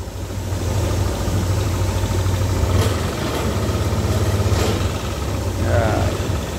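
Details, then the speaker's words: Yamaha All New NMAX 155 VVA scooter running with a coarse uneven low rumble, felt on first pull-away and when closing the throttle; rough-running engine, cause under inspection. "suara mesin kasar ya pas posisi angkatan pertama motor terasa bunyi kasar dan Pas turun gas terasa banget mesin dirasa sangat mengganggu ya"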